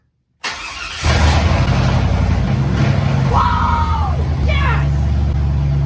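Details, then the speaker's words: Tahoe after fixing a no-start fuel pump fault: quiet, then fires and roars very loud with no mufflers, settling into a steady even idle with no misses, quieting a little after a moment; normal start and idle. "it is insanely loud when you first started up but after runs for a second it did quiet down a little bit so that's good"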